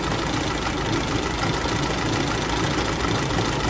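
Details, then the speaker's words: 1934 Austin Seven Ruby, bought non-running at auction, just revived and started first time (a few fuel leaks, choke sticking a bit): small four-cylinder settles into a steady, even idle with a soft low chuff and no knocks or misses; normal idle. "this that engine sounds absolutely lovely wow that's lovely our non running project is now a running project"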